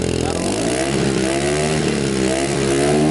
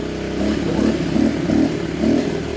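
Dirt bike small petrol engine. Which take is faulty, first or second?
second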